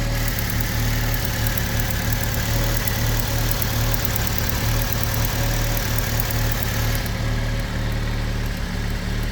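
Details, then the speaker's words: 2006 Fiat Panda 1.2L petrol idling roughly with a misfire; sharp fast clicking from one of the two ignition coil packs, owner suspects the rear one, a failing coil pack, before replacement. "I don't know if you can hear, but with the misfire you can actually hear clicking from one of these two boxes."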